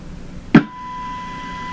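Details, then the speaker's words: Hallicrafters TW2000 receiver, front-end signal tracing with tube extender, roughly 1 MHz signal-generator input, tracer tuned to IF around 450–455 kHz: click then clean steady tone near 1 kHz, no crackle; signal passes front end; normal. "According to this, the IF is running around 450. Well, okay, there's nothing wrong. There's nothing wrong here."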